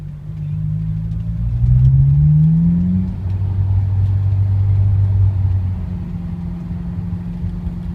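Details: Honda S2000 engine braking at around 2,000–4,000 rpm; engine note falls with a faint droning hum underneath, a strange noise heard only while engine braking, cause unknown.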